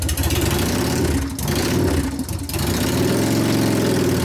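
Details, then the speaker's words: 1999 Harley 80ci Evo rigid, after reassembly and repair of a previous clanking/clatter: deep even V-twin idle with steady lope, no clanking over the beat; engine now tight and healthy. "now you hear it's all tight you hear the difference in it now it's not clattering around this"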